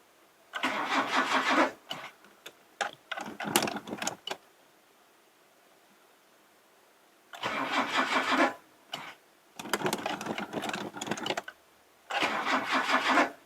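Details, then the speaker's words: Classic Mazda sitting over 10 years, first start attempt with choke: starter cranks in bursts with long pauses, catches briefly but never runs; cranks but won't start, owner suspects flooding or hydraulic lock from excess fuel poured in, oil checked. "think it's just hydraulic hydraulically locked but anyway i'm not going to invest too much time in it we sort of it does want to run i think it's just hydraulically locked because i've poured like 10 000 liters of fuel down the car"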